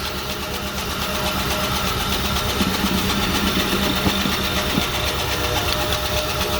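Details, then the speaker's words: 2000 Lincoln Town Car 4.6 V8, 108,000 miles, running again after being out of fuel: light, fairly regular tapping about four times a second at idle; a suspected fuel knock, possibly needing the cats removed, uncertain. "now you can hear it definitely got a fuel knock or something like that of some sort so there's gonna be some playing with it"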